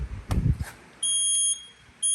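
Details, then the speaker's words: Used car lift being installed in shop, lift/lower wired but lock air lines disconnected: sharp high-pitched beep, about half a second on and off; safety-lock warning alarm because the lock air supply is disconnected. "And then right here, the warning is on because I have the locks, the air and everything is disconnected right now, and that's what I'm working on right now."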